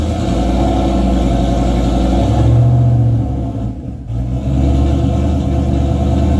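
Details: Boosted 351 Windsor V8 race car, newly working transmission with transbrake, fluid low (about nine quarts); revs strongly then note sags and dips briefly near the top before recovering; stumble under throttle, not building boost, cause unclear.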